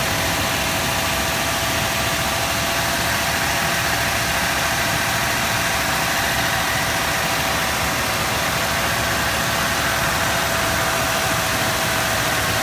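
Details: 2006 Toyota Tundra at idle after the belt squeal fix: steady, even engine hum with no squeal or chirp, and the belt drive sounds quiet.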